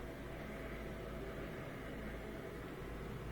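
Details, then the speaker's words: Miele Incognito dishwasher whose circulation motor ran about 10 seconds then paused 10 seconds, now filling: steady low hum with water swishing, running continuously without cutting out; circulation pump normal. "I think it's continually circulating now as it fills with more water we should hear it shooting around even more and more"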